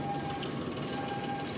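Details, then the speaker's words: Daihatsu Naked turbo 4WD automatic kei car, heard from underneath while idling: smooth, even hum with no knocks, ticks or misses; no engine or transmission leaks, engine sounds healthy. "It's been running, so you can hear it run. Transmission's not leaking. Engine's not leaking."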